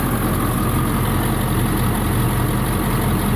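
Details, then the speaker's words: 1999 Ford E-450 ambulance-to-RV conversion, 7.3 Power Stroke diesel: low steady rumble with even beat, no knocks or hunting; owner notes how quiet it runs; healthy idle. "it's amazing how quiet that thing's running"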